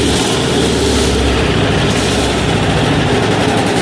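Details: 186FA single-cylinder diesel running on Road Tech synthetic blend 10W-30 motor oil instead of diesel fuel: a loud, deep, even chug at idle.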